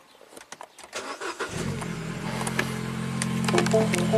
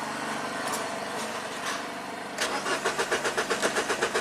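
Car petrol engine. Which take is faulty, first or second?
second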